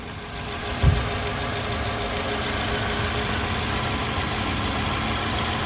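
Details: 2006 Toyota RAV4, the "before" sound ahead of the AMSOIL engine flush, oil change and upper cylinder lubricant: a steady four-cylinder idle with a light, quick tick riding on top that holds at engine speed.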